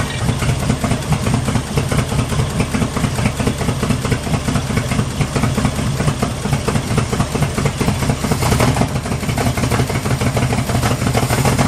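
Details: 1974 Jeep CJ5 rock crawler, first start after sitting 4–5 years, fresh battery and plug wires: low lumpy idle that hunts and stumbles; owner will raise the idle until varnished stale gas clears the carburetor.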